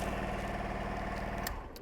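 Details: Honda Varadero 125 after starter motor replacement (the solenoid had clicked with a new battery): single-cylinder engine runs with an even steady low putter, then cuts off cleanly.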